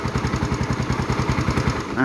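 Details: Yamaha Fino scooter that wouldn't start from a dropped cam chain, fixed by extending the cam chain tensioner (valves not bent; engine already burning oil): after repair, an even single-cylinder putter with no cam-chain rattle, normal idle.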